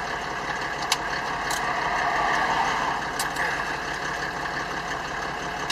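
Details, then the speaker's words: Land Rover Defender fitted with a Mercedes OM606 3.0-litre six-cylinder diesel and automatic conversion, idling; steady, even diesel idle with a smooth low hum and no knocks or misses. Normal idle. "so if you're thinking that doesn't sound like a normal land rover you're right it's a three liter six cylinder mercedes"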